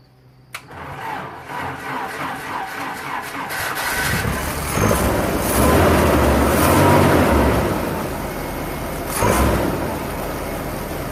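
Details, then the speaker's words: Jeep Comanche after sitting 10 years, new fuel pump, pump relay jumpered, first start helped by starting fluid: cranks a few seconds then catches, running rough with surging revs, nearly dying on very bad old gas; valve cover leaking. "oh all right so it runs it freaking runs oh it sounds like he's gonna die it's really bad gas that's in there like really really bad gas"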